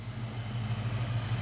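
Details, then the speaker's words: 1992 Ford Mustang LX 5.0 V8 convertible, parked over 10 years, after revival and driving: low, steady even idle rumble with no knocks or misses, purring like a kitten; normal healthy idle; oil change still due, brakes may need a look. "Purring like a kitten."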